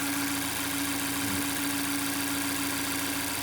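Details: Mazda 6 Skyactiv 2.0 idling after a bearing-shell repair for a knock that began after a bad oil change (suspected counterfeit oil): a steady, even hum with no bottom-end knock. The knock later returned, and the rod and crankshaft were found badly worn.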